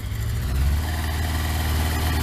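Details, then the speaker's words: Kawasaki ZX12R on choke, freezing cold, first start in 12 months: revs build to about 4,000 while warming. Strong, even engine note with steady firing and no knocks or misses; healthy. "and what I tend to do is you leave the revs gradually build up I leave it until it goes on full chat about 4,000"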